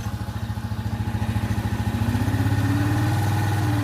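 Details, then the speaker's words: Italika Z150 motorcycle after transmission gear bushing repair and engine reassembly, idling in gear first through fifth: even low thump, no whine; earlier humming when engaging gear is gone. "Primera, en segunda, y en tercera, es lo mismo en cuarta, en quinta. No más ruido, no más ruido."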